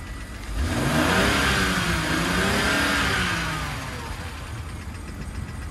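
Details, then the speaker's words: All-wheel-drive car at auction, freshly jump-started on a very cold day, revved up and settling back with a faint light tapping on top; unsure whether it is a lifter tick or engine tap. "i don't know comment below let me know if you think that sounds like a motor like a motor tap or a lifter type or whatever"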